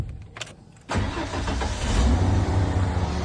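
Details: 1994 Ford F250 with new key, clutch cycled: quiet clicks, then one short crank and it catches straight away into a steady idle; starting cleanly, seemingly every time.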